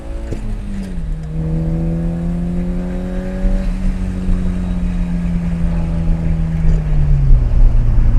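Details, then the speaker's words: S13 Nissan Silvia on the road after an ignition coil pack kit install to cure a misfire: the note climbs steadily under load, then drops at a shift, with no missing pulses. It no longer misfires, feels good and picks up a little. "Yeah, that felt good. Um it did seem to like pick up just a little bit."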